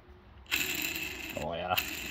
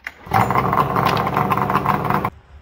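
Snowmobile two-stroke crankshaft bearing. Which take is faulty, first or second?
first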